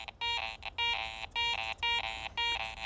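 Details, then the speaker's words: Garrett ACE 400 metal detector in jewelry mode with iron notched out and iron audio on: the tone sounds fine dead-centre but breaks into a low iron grunt at each edge of the sweep, a mixed target containing iron, not a pure coin. "as I'm coming and going I can hear that iron grunt on either side of the target listen to this that tells me this is not a pure coin target"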